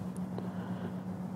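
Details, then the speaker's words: Can-Am Ryker that had sat for a couple of hours in Houston heat: a steady, loud, higher-pitched whine starts as soon as the ignition is switched on and stops instantly when it is switched off. Owner says it is the fuel pump, not the cooling fans. "That whee! It's a much higher pitch, louder sound. It's not the the cooling fans up front, that's fuel pump. And when I kill the motor, it goes away instantly."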